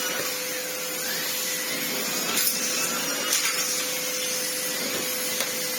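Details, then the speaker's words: Old red Sebo C2 Total vacuum on max power after airflow restriction cleared: strong steady airflow rush with clean constant motor tone, no rattles or scraping; turbo head spins fine; normal running. "Yeah, bless it. It's functionally fine. It cleans immensely well. Turbo head spins fine. Now that it's got more airflow going through it, I mean, the airflow is something else."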